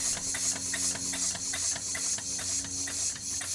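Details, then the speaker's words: Newly built PM Research #4 steam engine running on air, without gaskets, at its lowest running pressure of about 6 psi: soft, even exhaust chuffs about 2.5 per second under steady hiss; runs smoothly, though a slight bottom-end tick is mentioned. "that right there is about as low as it'll run so that's between two and eight psi let's call it six"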